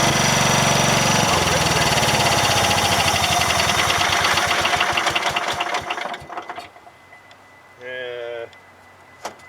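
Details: Cub Cadet 1000 with a Kohler K241 single-cylinder, a true cold start at about 27–28°F after sitting in snow, in neutral: rough, fast chugging that weakens and dies after a few seconds; over-choked, and the owner suspects it ran out of fuel.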